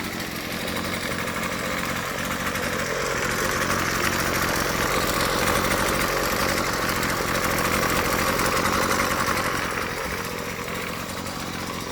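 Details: Husqvarna 128LD two-stroke trimmer, first start after tune-up (first in years, fuel filter and primer bulb checked): buzzy idle, revs up smoothly for several seconds and drops back without stumbling; runs clean.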